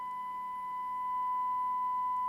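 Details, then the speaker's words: Hacker RP30 transistor radio amplifier on a 1 kHz test tone at 25 mV while bias is increased, distortion falling from 1.8% toward 0.9%: steady, pure tone with faint overtones and quiet hiss, sound audibly improving; clean reproduction. "I'm increasing the bias. I can hear that improving. I can really hear the sound improving actually."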